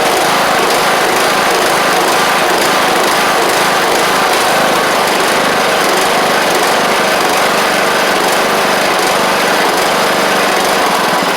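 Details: John Deere LA100 mower, 5-speed transaxle, long-sitting, hard starting from valve issues, just running on its own: steady buzzy single-cylinder drone at constant speed, no misses or knocks; owner suspects failed spark plug, expects improvement with run time.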